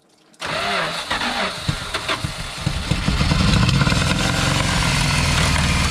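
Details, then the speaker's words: 1974 W200 with carburetor, being brought back to running: engine catches and settles into a rough idle under a hissing, spattering wash as water sprays onto the cooling fan; water hitting the fan. "it was the uh water hitting the fan"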